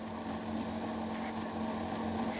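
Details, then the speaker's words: Old Athearn F7A model locomotive, about 50 years old, on a rolling road after the drive mechanism and helical gear were cleaned and lubricated: soft, steady, even motor whir, starting and running smoothly. "and here it's running fine now so I can crank it on up and let it run a while"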